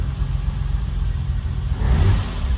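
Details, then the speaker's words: Ferrari first start after sitting, new plugs and penetrating oil, fuel pump switched on first: deep low rumble swelling with a throttle blip, running fairly smoothly, sounds half decent; some smoke seen, possibly off the manifold; normal running. "actually that sounds half decent"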